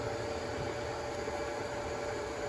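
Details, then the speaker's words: After a Craftsman 120V 30-gallon 6HP compressor reached 170 psi on a 24V 2400W hybrid inverter, a cooling fan runs during the temperature check (ambient about 100, exhaust 113). It is a steady whoosh and faint hum with no ticking or rubbing, normal. "okay just reached peak pressure went up to 170 psi before the regular regulator cut it off and now let's check temperatures battery voltage is good you can hear the fan running"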